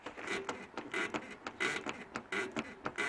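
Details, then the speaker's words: Rocking the open rear door hard up and down gives a squeaky creak about 1.5 times a second; the car also creaks over speed bumps, likely worn rear lower control arm bushings, though upper arm or other bushings are possible. "지금 이렇게 찌그렁 찌그덩 소리가 나죠 이렇게 뒷차 문을 열어서 혹은 앞차 문일 수도 있습니다 앞 타이어 쪽에 로우암이 문제인 경우는 이렇게 위아래로 세게 한번 흔들어 보시면 이렇게 찌그덕 찌그덕 소리가 날 경우 이런 경우는 로우암 로우암 노화다이의 문제가 있는 경우가 상당히 가능성이 높으니 점검을 받아보셔야 됩니다"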